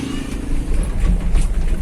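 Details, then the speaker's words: 2012 Toyota All New Avanza on rough road after fixing the electric power steering (EPS) knock with an O-ring on the bearing: low road rumble, no knocking or vibration from the steering. "sekarang suaranya Enak enggak ada getaran sama sekali padahal jalannya jalan di depan itu cukup rusak ya"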